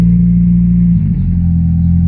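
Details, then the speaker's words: EK Honda Civic after adding a 12V 30A fuel pump relay with 12-gauge wire; fuel pump heard, then steady, low, even idle hum with no knocks or stumbles; engine runs smoothly; normal idle. "Well, see if the car turns on. It's already bolted down and everything. See, you can hear the fuel pump."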